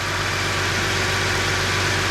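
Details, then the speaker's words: 2008 Chrysler 300 with 2.7L V6, idling after water pump and timing chain job and intake manifold gasket repair for a cylinder 1 misfire (P0301); steady, even idle with smooth hum, no vacuum leak hiss or stumble. Normal idle. "But we don't hear no leak. Hey, we don't hear no leak."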